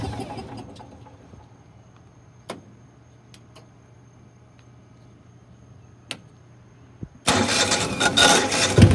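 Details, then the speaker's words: Older Generac (Centurion) 8.5 kW natural gas standby generator, about 15 years old with regular plug and oil maintenance, manual start: a few faint clicks then steady cranking churn that never catches; cranks but won't start. "i'll do a quick switch of the manual start and you'll hear what it's doing i'm hoping somebody can suggest something that i should try here we go"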